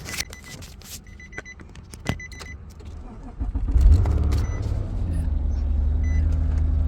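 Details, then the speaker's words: 2013 Nissan Maxima with a previous no-crank, no-start fault, after cut wiring from a suspected tracking/security device was reconnected: short crank catches and settles into a steady, even idle; starts normally. "she starts yes sir it was it was a stupid tracking device"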